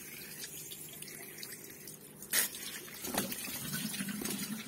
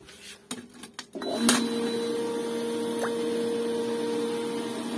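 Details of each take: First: Pool pump with sand filter: steady trickling hiss and splashes from a water leak at the suction fitting, where a poor homemade rubber seal or loose nut let the pump suck air and the pressure gauge jump. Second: Pool pump with sand filter after purging sucked-in air and backwashing: after a few clicks it starts and settles into a steady, even hum; pressure gauge no longer jumping.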